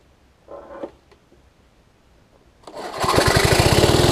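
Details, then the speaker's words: Lawn Chief push mower engine, turned 180 degrees with new recoil cover, started with starter fluid after finding the air filter backwards: catches into a fast, rough run with a raspy scrape; owner suspects the air filter cover rubbing the guard. "this thing's scraping on the a little guard scraping on the mower but oh i think it's air filter i think this air filter cover is messing it up"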